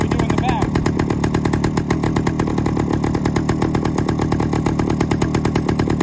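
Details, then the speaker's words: 1972 Suzuki TS185, first start in 30 years with new carburettor installed: rough uneven two-stroke idle with sharp popping puffs, lots of exhaust blowing out the leaking header joint; exhaust header leak. "so that sounds like something's terribly off on the car got more exhaust coming out of the freaking leak than we"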